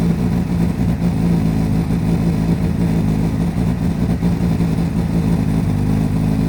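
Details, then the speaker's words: Repsol Honda CBR1000RR four-cylinder sportbike idling after fitting a new Varta battery, warmed past 47 degrees before revving: even, steady firm low drone with no misfires, rattles or knocks; normal idle. "Let's start and see what it sounds like. And yeah, I waited longer than the 47 degrees before I revved it."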